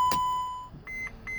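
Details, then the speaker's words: 2011 Mercedes Sprinter diesel, intermittent no start: key-on chime and beeps, glow plug light not lit, DEF light blinking, no crank; starts once glow plug light comes on. "Globe plug light did not turn on wait for almost all the lights to go out try to start the diesel exhaust fluid light is blinking no start"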